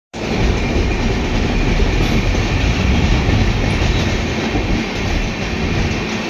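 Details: Indian Railway train passing over track: rumble with loose clickety-clack as the wheels cross rail joints, nothing harsh or grinding; normal rail joint clatter.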